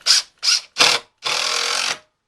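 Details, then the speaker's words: DeWalt 20V DCF885 impact driver, battery on one bar, driving a short self-tapping stainless steel screw through thin oak: three short bursts then a longer steady rattling hammer as the screw seats; impact mechanism working normally. "And now I'm going to drive this shorter screw here through oak. Both of these are self-tapping stainless steel screws."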